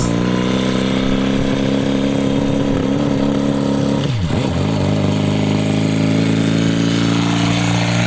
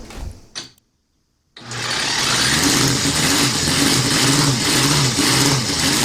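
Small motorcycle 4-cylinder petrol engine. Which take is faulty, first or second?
first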